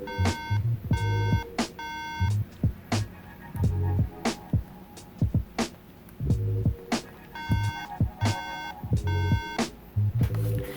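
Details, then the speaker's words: MacBook Pro plugged in but not powering on: three short beeps in a repeating group, pointing to a memory fault; fixed by removing and reseating the RAM. "hi guys if you have a MacBook Pro that gives you three beep when you plug it in and it's not turned on watch this video I will show you how to fix it today"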